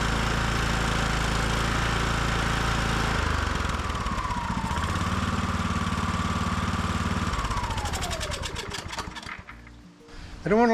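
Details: Estate Car small single-cylinder engine running after a hydro-lock fix: gassy oil drained and changed, and the carburetor bowl found stuck open. It has a steady, even beat, then winds down smoothly at shutoff, sounding healthy.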